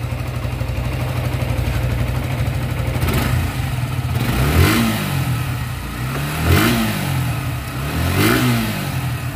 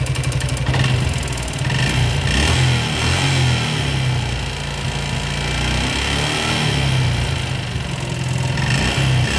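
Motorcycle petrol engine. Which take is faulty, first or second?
second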